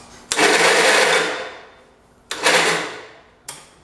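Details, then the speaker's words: 1969 John Deere Patio 112 restoration on a charged battery: high whirring bursts winding down after each key press with no cranking beat; starter spins but doesn't turn the engine, owner suspects starter (brushes unchecked). "Is the motor even turning over? I can't see it. Nope. Damn it, just like I figured."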